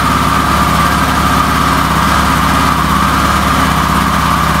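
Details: Yamaha XT600E 600cc single-cylinder motorcycle, jump-started on choke with Autowit SuperCap2 Lite after a winter flat battery; catches and settles into a steady even idle with firm low pulse, runs fine.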